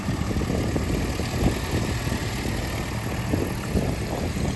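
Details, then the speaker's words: 1967 Alfa Romeo Giulia 1300 TI warming up after cold start, recently sorted by a shop (timing dialed in, fluids, fuel pump relocated to rear, brakes serviced): low, even idle with steady firing pulses, no knocks, misses or hunting; normal idle. "so we will continue to let her warm up we will then do a warm start and walk around video"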